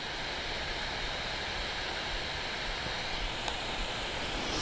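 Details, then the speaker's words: Steam Deck at 15 watts with electrical tape applied to the fan: a soft, steady airy whoosh with no whine riding on top; the fan moves air cleanly. "I don't know if you can hear it on camera, but I'm not hearing a whine. I'm hearing a whoosh. It's a whooshing sound."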